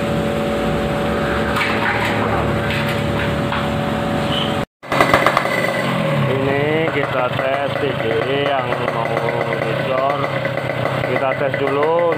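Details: RX-series two-stroke motorcycle engine, ignition (spool/pulser) set up for daily touring, all stock, tested for sound and power before a ride; crisp crackle rising and falling cleanly with each throttle blip, no misfire, healthy running.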